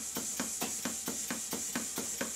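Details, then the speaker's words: Stuart beam engine, run after fitting silicone O-rings, replacing the top caps, oiling and removing the side plate: sharp, regular tick about four times a second over steady air hiss. Knocking attributed to incorrectly set valve timing, with other problems also heard. "the reason for the knocking is that the valve timing is not set correctly but it's not as simple as that i can see and hear other problems on this engine that need rectifying"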